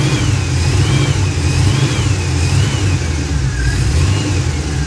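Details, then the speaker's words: 1977 Chevy Monte Carlo, timing being set and checked at idle and high throttle: clean pick-up and a steady, even rev with no misses or knocks; soon after, the starter ground against the flywheel. Normal revving. "sounds pretty good right there"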